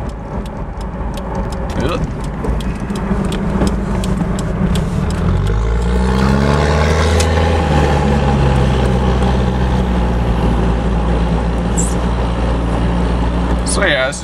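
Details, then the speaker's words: 1994 Toyota Hilux Surf SSR-X KZN130, 3.0 1KZ inline-four turbo diesel, 138,000 km, side exhaust, heard through an open window under hard throttle: strong pull, the note climbing smoothly, no knocks or misses. Sounds healthy. "You can hear that side exhaust. I got the window all the way down. I like to drive with the window down so I can hear it when I romp on it."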